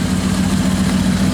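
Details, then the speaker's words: Truck started on a just-connected, previously very dead battery, cold: steady, even low idle with a smooth pulse and no knocks; sounds healthy though owner says it smokes a little and needs valve work. "It purrs like a kid. She does need some valves though. She smokes a little bit."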